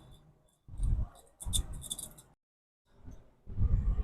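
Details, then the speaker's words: Old front wheel bearing from a 2008 Nissan Sentra, turned by hand, gives bursts of dull rumble with faint dry ticking from loose balls. There is a large visible gap, and this side had been making rattly noises. "you can hear that little ticking inside those are loose ball bearings"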